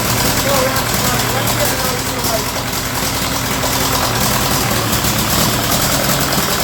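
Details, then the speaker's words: Ferguson TEA20 with British Standard engine, after valve lash and fixing big exhaust leak, another carburetor tried: uneven rough idle with persistent scattered crackle; engine in bad shape. "That Ferguson just refuses to cooperate. It don't want to run, man. That engine is in really, really, really bad shape. I tried another carburetor on it. I've tried everything, and I just can't get that crackle out of it."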